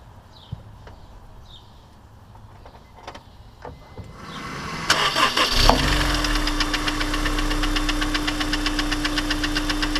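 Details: Honda S2000 ticking on warm startup, first suspected rod knock: after a quick crank it idles with a sharp, regular tick about four per second. Teardown found a failed cylinder 1 oil squirter had warped the cylinder, scraping the piston: piston slap.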